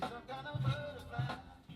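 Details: 1976 Yamaha CR-450 receiver, one channel told to have distortion and a wrong output transistor fitted by a previous repairer: music plays clean and steady through this channel, no crackle, breakup or distortion as the level shifts; channel working normally.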